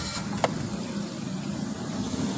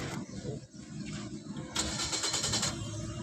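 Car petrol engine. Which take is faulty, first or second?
second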